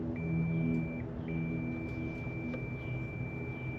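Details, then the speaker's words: Lincoln Weldanpower 150 welder engine, sitting at least 12 years, multimeter continuity test on the ignition condenser: steady beep that stays on instead of cutting off, showing the condenser shorted to ground; bad condenser. "Well, now it's just grounded. So I think we have a bad condenser there."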